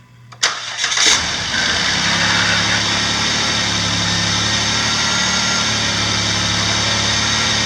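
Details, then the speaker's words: 2008–2011 Dodge Grand Caravan / Chrysler Town & Country 3.8L, first start after replacing spark plugs and wires: quick crank, clean catch, smooth steady idle without stumble or misfire; normal idle, wires in correct cylinder order. "Alright, sounds like we succeeded. If you get any results other than that, then you've probably got a problem, and you probably didn't follow your cylinder order numbers."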